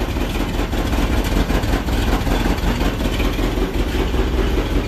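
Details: 1966 Ford F-100 idling after a used replacement carburetor was installed. A deep, even idle with a steady rumble and no misses, knocks or hunting. Normal idle.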